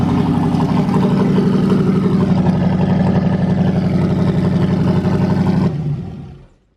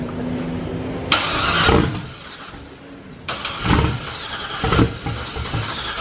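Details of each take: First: Turbo LS truck engine in a Corvette at first start after a new crank sensor, 67 psi oil pressure: deep choppy V8 idle pulsing at a steady lumpy rhythm before shutdown. Runs clean, just big-cam lope, no faults. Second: Turbo LS truck engine in a Corvette, first start on Holley Terminator, fuel pressure 53: repeated cranking bursts where it briefly catches and dies; owner suspects lack of fuel, earlier two bad crank sensors, cause not confirmed.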